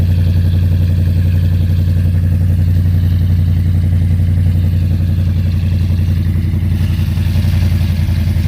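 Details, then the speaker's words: Whipple supercharged cammed Ram 1500 Hemi V8 idling after installing new MBRP stainless catback exhaust with five-inch tips; deep steady idle with slight cam lope, no rattling, exhaust fixed. "no rattling fellas good oh exhaust is fixed"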